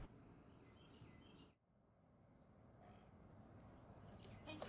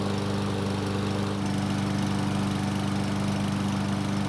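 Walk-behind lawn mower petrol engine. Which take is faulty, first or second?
first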